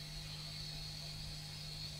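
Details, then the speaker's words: Retro PC bought at a flea market, powered up on the bench with a speaker attached. Steady low hum with a thin high whine and hiss from the noisy cooling fan as it starts to boot; it then stops at a POST code. "Speaker attached, power it up, does it start? Yes. And it looks like it's gonna boot. Fan makes a bit of a noise."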